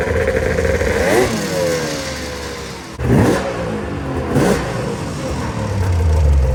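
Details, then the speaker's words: Arctic Cat ZRT triple two-stroke snowmobile with new gas, now leaning out and running better: sharp rev blips dropping back to a slow, lumpy idle very low, almost stalling; idle screws need turning up. "The one thing I do have to do is turn up the idle screws. It's idling super low in the RPM range. So no big deal."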